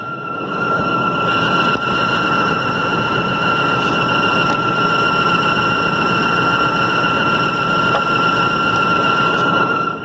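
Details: 2003 Range Rover engine, starting about 10 minutes into driving, especially after driving faster and then slowing down: steady thin high-pitched whine over a soft running hiss; source unknown.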